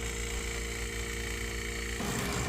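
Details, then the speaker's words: Wine cellar cooler refrigeration unit that was not cooling, bad relay found, overload still to be replaced, no gauges attached: steady compressor hum, then fan kicks on about two seconds in and runs smoothly; normal compressor running. "So, right now the compressor is going. It's going."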